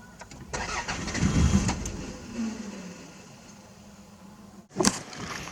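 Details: Older Toyota bought for about $500, started right after a new fuel filter was installed (old fuel line was spurting gas): brief cranking, then it catches and settles into a steady falling idle; normal start.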